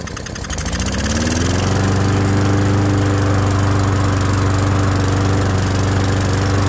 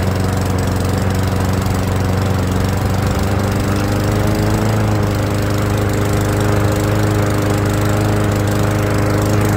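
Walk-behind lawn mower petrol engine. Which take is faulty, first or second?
first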